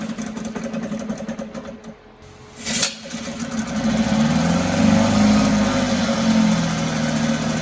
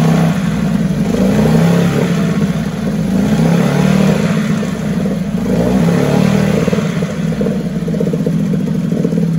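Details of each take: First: 1974 Mercury 4 hp single-cylinder two-stroke outboard in a water test tank: catches, sputters and briefly dies, then buzzes unevenly near idle; fuel starvation, owner suspects a tired fuel pump not drawing fuel from the tank. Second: 1974 Mercury 4 hp single-cylinder two-stroke outboard, restored, easy restart from start position: even lively two-stroke running with small speed swings, no misfires or clatter; sweet easy-starting machine, normal running.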